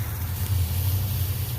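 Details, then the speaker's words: Sprinkler B line zone, front grass, after control valve solenoid and rubber diaphragm replacement: strong steady hiss of water spraying under good pressure, no sputter or surging; normal spray, valve opening fully. "Now we'll turn the B line on the, should be half the yard, front grass here. Yep, and it looks like that's working."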